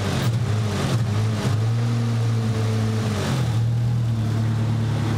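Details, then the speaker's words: Nissan 200SX with a missing number 1 cylinder, backfire heard from the number one plug hole; low idle rumble with an occasional stumble, misfiring now and then, possible exhaust leak behind the turbo. "definitely hear it misfiring every now and again"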